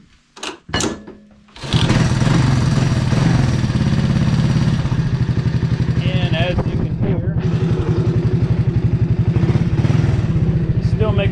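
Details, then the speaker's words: 1985 Honda ATC 200S three-wheeler, 165 original miles: a light uneven tapping rattle at low idle, about three a second. Top end and piston checked good; the clutch side is suspected. "it does sound like it's coming from here but I mean the top end and piston are all good"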